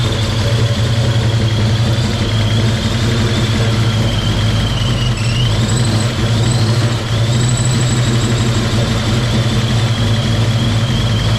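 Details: Project car V8 just after first start in 11 years: loud idle with uneven lumpy beat and faint high whine; rough running, cause unknown.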